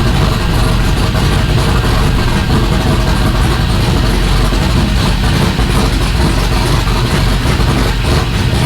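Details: Rally Camaro LS V8 with open pipes, first start on new Aces Jackpot standalone ECU, idle target 1,000 rpm, not yet at operating temperature so not self-tuning: loud, deep, lumpy but steady idle, even firing, no knocks or misses; normal idle.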